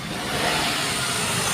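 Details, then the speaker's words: 10-year-old Maruti Suzuki Wagon R petrol, 39,531 km, just started: smooth, even hum settling without knocks or rattles; healthy idle. "এই যেমন ইঞ্জিনের আওয়াজ শুনুন একদম মিষ্টি সাউন্ড রয়েছে কেউ বলবে না এটা 10 বছরের পুরানা গাড়ি"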